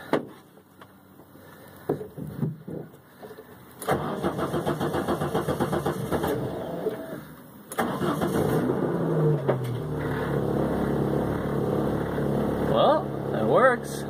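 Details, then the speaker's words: Citroën AX 16V trackday car, first start in over a year after small jobs before its safety inspection: several short cranking bursts, then it fires and settles into a steady, even idle. Starts and runs fine. "[Music] and as it turns out it starts just fine so yay that's good"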